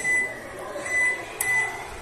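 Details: Electrolux microwave plugged in but not cooking makes a constant thin, high whistle-like noise, as if shorted; owner says it sounds like a short, not confirmed.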